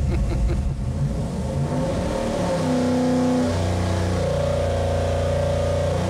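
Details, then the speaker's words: Stroked 347ci small block Ford street engine for a 1977 Ford Granada, on a dyno pull from 3,500 to 6,000 rpm on pump gas, 35° timing, air-fuel in the mid 13s, 950 carb. Clean, strong V8 climbing smoothly with no misses or knocks. Made 490.3 hp and 442.5 lb-ft at 6,000. "All right, not bad. 442.5 pound-feet and 490.3 horsepower, right at 6,000. All right. That's about what we expected."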